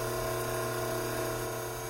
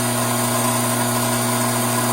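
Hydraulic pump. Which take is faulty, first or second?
second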